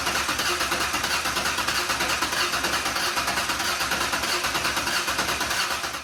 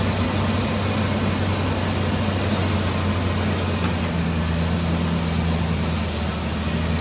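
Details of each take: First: Ford 4.0 engine, first start after engine repair: starter churns at a steady three beats a second and never catches; scanner showed RPM, a coil pack wire was found unconnected. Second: Ford 4.0 V6 after engine repair, third attempt after reconnecting coil pack wire, not yet at temperature: steady, even low idle with no misses, knocks or ticks; normal idle.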